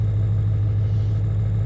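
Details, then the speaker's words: Ford 7.3 Powerstroke diesel cold start at about 50°F after replacing the glow plug relay and reconnecting the glow plug harness inside the head: low, steady rumble with an even beat, no knocks or misses; healthy idle, oil pressure normal. "um motor doesn't sound the greatest but I don't think it sounds too bad I've heard some Motors that um sound like they're running on six cylinders and um yeah so this one this one sounds pretty healthy"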